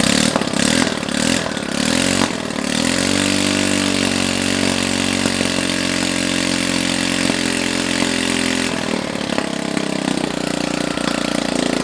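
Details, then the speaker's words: Honda Ruckus-type scooter motor's first start in probably a long time, run with no exhaust fitted and started through a homemade start-button harness: catches and settles into a fast, raw idle with sharp popping from the open port but steady firing. Running fine. "now keep in mind that there's no exhaust on this and it's gonna probably sound like popcorn or something popping yep really it just sounds like buttons it'll sound like bubbles popping"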